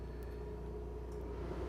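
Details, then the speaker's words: Gulfstream Conquest 6311 RV propane furnace, thermostat set to heat at 99 degrees: low, steady whooshing hum of the blower fan coming up to speed and running evenly, no rattles or scraping, before burner ignition; normal blower startup. "You're going to hear a fan turn on, and then you're going to listen for the burner to ignite."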